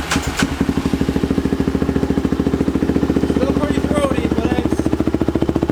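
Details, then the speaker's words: 500cc Chevy pickup Power Wheels build (Polaris engine) after packing the empty exhaust muffler: steady even exhaust pulses at a crisp snappy idle, no rattle or blowing; sounds healthy. "she is snappy yup she sounds good"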